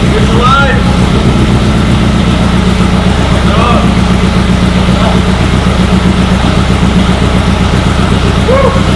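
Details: Meyers Manx buggy on 1961 VW Beetle chassis, 1600 air-cooled engine, just started with carburetor spray: steady even beat at a fast idle, no misses or knocks; normal running.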